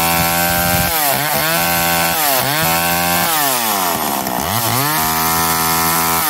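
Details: McCulloch Eager Beaver 2.0 chainsaw after rebuild, spark arrestor back on, probably warm, run to burn off old gas: crisp two-stroke revving, pitch climbing and falling cleanly, no misfire or bogging; healthy.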